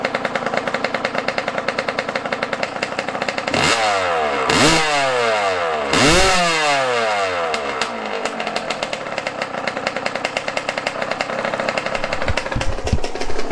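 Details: Yamaha YZ125 two-stroke dirt bike, cold and not warmed up, during carb air-screw adjustment: crackles and blips unevenly, revs flaring and dropping back to a ragged idle; carburetor mixture still off.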